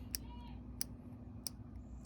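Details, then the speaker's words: Traxxas Maxx RC truck, drivetrain gear noise, cush drive assembly rocked by hand: four crisp evenly spaced clicks about one every two-thirds second; worn cush drive rubber damper suspected, replaced with new housing and elastomer. "That tells me that rubber seal inside I think is worn out, and I'm hoping that that's the problem."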